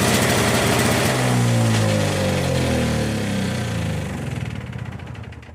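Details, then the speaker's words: Yard Machine 21" single-stage snow blower after the auger belt was replaced with the correct belt, started outdoors after priming and choke: the small single-cylinder engine runs smoothly at an even beat of about four per second with no misses or rattles. "So what do you think? Makes a difference when you use the right belt, huh?"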